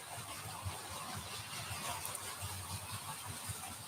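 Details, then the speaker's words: Model railway coaches running on DC with a busy rolling rumble, scattered ticks and a faint high hiss; noisy because the coach wheels have serrated treads. "now these are running DC as you can hear they're rather noisy now there's a again there's a little story behind this I did have a look last night because they were so noisy and all of these coaches have got serrated Wheels"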